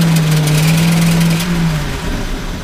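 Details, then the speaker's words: Ford with OBD1 system, key-on engine-off test passed with no other codes: engine drones steadily, then when floored the note sags and roughens, stumbling as if wanting to die; bogging at full throttle, cause unknown. "I hit the accelerator if I go to the floor with it it wants to"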